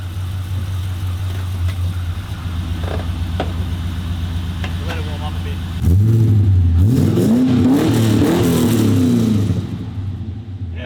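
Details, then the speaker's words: LS V8-swapped HQ Holden with a new 2.5-inch stainless exhaust system: a deep, even V8 burble that climbs cleanly through throttle blips and settles back without misfire; healthy, normal revving. "wicked that actually sounds really good"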